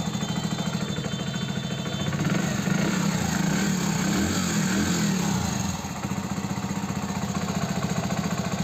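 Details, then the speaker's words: Hero Passion Plus BS6 motorcycle, 13,454 km, at idle after adjusting the rocker (valve clearance); earlier noise blamed on the timing chain was actually the rocker. Even, steady single-cylinder idle with no tapping, valvetrain quiet, running clean. "Finally guys इस bike में जो engine sound की problem थी वो हो चुकी है solve"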